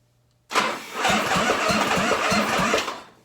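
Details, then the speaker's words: 1985 Harley-Davidson FXRS Evo cranking with spark plugs loosely in: laboured, slow, uneven compression thumps about three per second; cranks too slow, worse after 15–20 seconds; owner suspects the starter motor, planning to clean, rebuild or replace it. "yeah that's with the plugs in it they're just barely in it but it'll probably it'll run and start like that but it's it's too slow"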